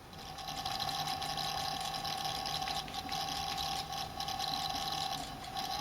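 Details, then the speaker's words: Celestron CGX telescope mount, hand controller firmware updated but mount controller not yet: a steady high whine near 800 Hz over constant hiss from the drive motors; noise disappeared after the full mount firmware upgrade. "and before I'll just stick in an example of what was off the delivery right here and then we listen to what it sounded like after yes the hand control was updated and"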